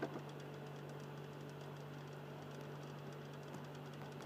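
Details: Xbox 360 Slim in standby, Philips/Lite-On DVD drive motor with low steady hum and faint soft grinding, lower tone than before.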